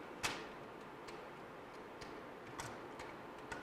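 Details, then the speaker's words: JVC MX-G70 compact stereo CD changer, skipping past track 12 moves to next disc: light irregular ticks and clicks, about five in four seconds; normal disc change. "Oh, I guess if you go past track 12, then it starts on the next disc. Let's go back to where we were at here. Let it feed in the disc."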